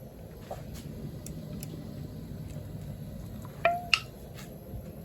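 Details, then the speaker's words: Home-canned fresh chicken broth pint jars just removed from the canner: quiet kitchen with faint ticks, then two sharp clear pops as jar lids seal. "what it is is the lids are sealing so that one just sealed so hear it you're popping popping in the in the pot"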